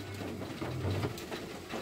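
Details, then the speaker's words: Aftermarket electric retractable antenna retracting fully when ignition switched off, after a fuse problem was fixed (antenna was fine): low steady whirr about two seconds, no stalling or grinding; normal. "Donc là elle est sortie entièrement et dès que je coupe le contact, voilà, elle se rétracte. Jusqu'au bout."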